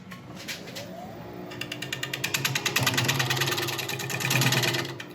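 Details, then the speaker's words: Lathe coring a 13.5 in wide, about 5 in deep elm natural-edge bowl: rhythmic chattering thumps about three per second over the lathe hum as the coring blade binds; operator about to clear material for clearance. "okay I'm not giving up yet I just need to I think clear a little bit of this material out of here just to give me a better access cuz as you can hear it's starting to bind"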